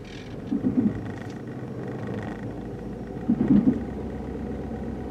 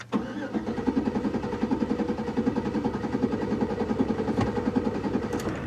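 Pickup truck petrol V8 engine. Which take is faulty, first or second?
first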